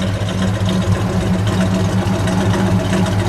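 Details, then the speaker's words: 1966 Dodge Charger with 426 Hemi V8 and 4-speed manual, heard from behind the car with brakes applied: loud, deep, lumpy idle holding a steady beat, no knocks or ticks. Healthy V8 idle. "Let me listen to it idle for a moment."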